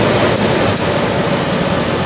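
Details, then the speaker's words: 1993 Comfort-Aire window heat pump, reciprocating compressor, cool mode, 81°F day: steady rush of airflow over a soft low hum, no rattles or knocks; purrs along, running smoothly. "Feels great. Purrs along. Really nice."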